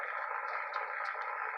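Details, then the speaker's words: Restored Yaesu FT-101EX receiver with five-band vertical in high-noise area: constant hiss and rushing static with faint crackles, no signal; owner's normal heavy band noise level. "okay so there's my normal noise level"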